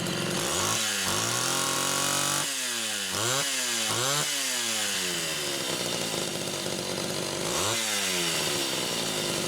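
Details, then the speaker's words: Homelite Super XL chainsaw test-running carburetor number 2 after its Welch plug was replaced; both mixture screws had been over 3.5 turns open. Crisp throttle blips climb cleanly and drop back to a steady idle without bogging or sputtering. Judged good. "Okay. I'm going to call that one good too."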